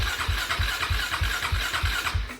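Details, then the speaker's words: Suzuki LTR450 quad, believed 2006, fuel-injected, long sitting, fuel pump heard priming: even starter cranking at about three compression strokes a second that never catches; cranks but no start, owner suspects fuel system, later fires briefly on carb cleaner. "the quad turns over but it doesn't start so we're gonna get it off loaded here and take a look at the fuel system"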